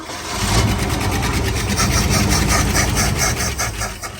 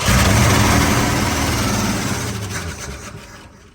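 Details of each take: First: 1970 Ford Bronco, carbureted, first start in 8 years: catches and runs ragged with rising and sagging speed, seemingly not drawing gas from tank; cause unknown after long storage (pump, tank or filters possible). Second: 1970 Ford Bronco started for the first time in 8 years, ignition bypassed and fed from a can: an even, steady low beat for a couple of seconds, then it winds down; sounds healthy.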